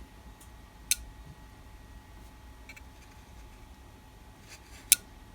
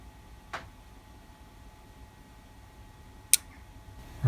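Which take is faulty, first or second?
second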